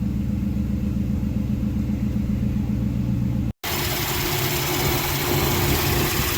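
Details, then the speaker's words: Mercedes M119 V8 after rebuild, started after its first oil change at about 3,000 miles with 8.5 quarts of 5W-40; smooth, steady low-rumble idle with no knocks or ticks, good oil pressure, normal idle. "Now we're going to start it up. Got good oil pressure."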